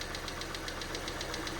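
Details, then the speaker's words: 2012 Citroen C3 White Edition after cam cover refitted, idling: light quick ticking about seven or eight a second over idle, still a little tappy but quieter than before; valve train tapping, cause not pinned down. "Do you know what? It's still a little bit tappy, isn't it?"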